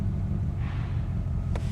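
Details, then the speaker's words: 1986 Corvette L98 TPI 5.7L V8 after cleaning plenum EGR port; still has a problem, owner plans a new EGR valve; steady even low rumble, no misses, knocks or ticks, runs beautiful; normal idle. "it's running now runs beautiful I can't believe what's still giving me a problem"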